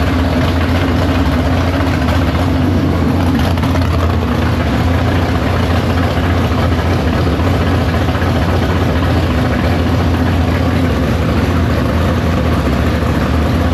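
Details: Big-block Chevy V8 in the Farm Fresh gasser, timed, carb due for a swap for more fuel: deep steady idle with even lope, no misses or knocks. Fires right up, no leaks; normal idle.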